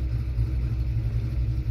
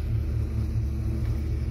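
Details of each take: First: 1991 Ford Fox Body 5.0 V8 with Holley Terminator X and stock Ford IAC: steady deep rumble holding a little fast, IAC at 0–1% with TPS at zero; throttle stop screw open too far. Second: 1991 Ford Fox Body 5.0 V8 with Holley Terminator X and stock Ford IAC, warming up: low, even lopey burble holding smooth at the 1000 rpm idle target; idle air control working normally.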